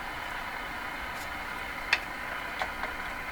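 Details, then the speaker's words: Stromberg Carlson 561 tube radio, during replacement of the last wax capacitors: faint hiss with random sharp crackles that come and go. Loose tube or bad contacts suspected; the noise vanished, cause not found. "sounds like a loose tube in fact something coming and going"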